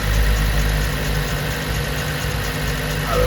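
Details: 2010 Chevy Monza with MAP P0106 and TPS P0122/P1122 codes: a steady but raised idle with no dip or hunt, while the live TPS voltage reads 1.0 V. A faulty throttle position sensor keeps the revs up.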